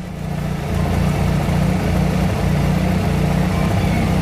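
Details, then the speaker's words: Honda Civic, cold engine just started, cooling fan on automatic control not yet running as temperature not reached: catches and settles to smooth steady low idle, no fan roar, knocks or misses; normal cold idle. "So kung makikita nyo, ayan, naka-start na yung makina natin pero hindi siya umaandar yung fan. So hinihintay niya yung temperature. Hindi pa na-reach yung temperature nung ano, nung makina natin."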